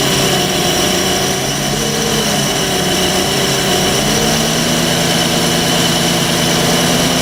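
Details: MerCruiser 4.3 V6 boat engine on a new block, after water was found in the fuel system and the engine's fuel pump was allowed to feed the carburetor, idles steadily with a smooth low drone and no knocks or misses; now running cleanly.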